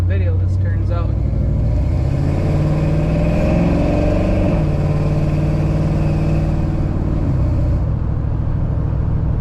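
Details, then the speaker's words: GMC pickup V8 just after a new distributor replaced an ATI unit that misfired under load: deep, smooth, hard pull at wide open throttle, pitch climbing evenly, no spark knock; throttle response good, hot day, possible wind noise. "quite a bit of pep in it throttle response feels really good thank you wide open throttle I'm not hearing no spark knock"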